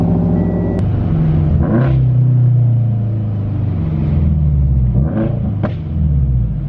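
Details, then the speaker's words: Subaru BRZ, turbocharged and awaiting a retune: loud cold start where revs flare as if throttle were held open, then settle unevenly; cause unclear. "But when I initially start up the car, like the cold start is loud, but it sounds like I have my foot on the throttle as I start it, and like it revs and then it starts."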